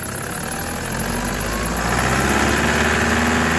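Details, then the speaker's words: 2008 Toyota Prado 120 with brand-new 1KD diesel, new turbo and injectors, stone cold (about 5–7°C), running about a minute, gentle revs to roughly 2000 rpm: rattly clatter building with revs; normal cold knock until warmed past 83 degrees. "We'll give it 1 minute to warm up and then I'll give it some gentle revs just to let you know some of the sounds you can expect to come from the engine when it's absolutely stone cold and it's only been running for about a minute."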